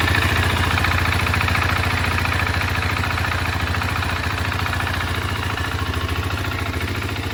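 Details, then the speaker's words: 2023 KTM 690 Enduro R single idling right after an oil change with AMSOIL Dirt 10W-50 to cycle the oil; a steady, even thump with no ticking or knocking, normal idle. "And now we've got the oil installed, everything buttoned up. We're gonna go ahead and start it up, let the oil cycle through."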